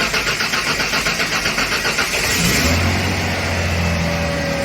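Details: 1995 Ford F-150 after replacing the rear-tank fuel pump, started on the rear tank, which it would not do before: even cranking, catches and settles to a steady idle. Normal start.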